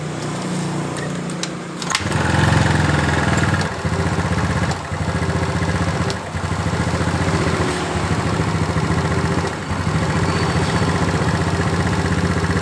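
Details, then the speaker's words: Yamaha Mio scooter after valve and head repair (was hard starting, black smoke, leaking valves): steady, even single-cylinder idle with no misses or knocks; engine smooth, though carburetor vacuum leak remains. "Dengar suara dari motor ini sudah halus ya teman-teman."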